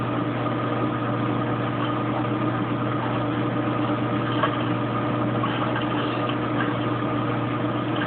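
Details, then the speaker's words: Kenmore Oasis top-load washer after an OL-code repair: at 21 minutes left it reaches high spin with a steady low drone and faint whir, no knocking, scraping or banging. "So it sounds like it's spinning. Down to 21 minutes. It's into high spin now. You can probably tell by the shaking of the camera."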